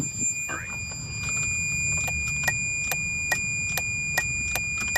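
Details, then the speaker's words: 2011 Ford F-250 6.2L Super Duty, no crank, no start, with BCM, trailer brake module and AdvanceTrac faults and a good battery: sharp ticks about twice a second over a steady chime. It clicks but won't crank. "it just won't crank check it out bunch of faults body control it's just not cranking you can hear it click"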